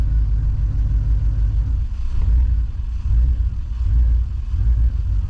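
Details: 2000 Chevrolet Silverado 1500 5.3 L V8 running right after an alternator replacement and belt refit, now charging: a deep, even V8 rumble with slight swells as revs move, smooth and healthy.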